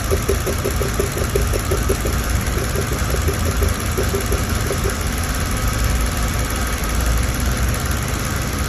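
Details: Mercedes-Benz W211 with a recurring engine misfire that came back 2.5 months after another workshop's repair, which included a new ECU: idle with an uneven, lumpy beat and irregular ticking pulses over the drone. Misfire at idle.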